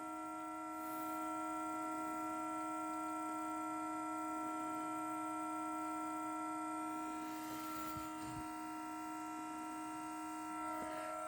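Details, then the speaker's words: Parked car with the engine not yet started at −3 °C: a steady, horn-like droning tone that fades over time. It occurs only in the cold; the owner was told it relates to the exhaust. Tonal hum from parked car in cold weather. "have no idea what that is but it's only happening because it's cold out here it's minus three today they tell me it has something to do with the exhaust something something something i don't know"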